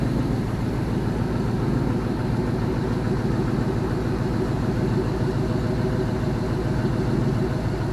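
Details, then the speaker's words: All-aluminum 5.3L L33 HO Gen 3 LS V8 on a test stand after a lifter replacement, warm at about 150 degrees: smooth, even idle with a low rumble and no ticking from the top end, injectors audible; normal idle. "those lifters did the trick you can actually hear the injectors firing over the lifters"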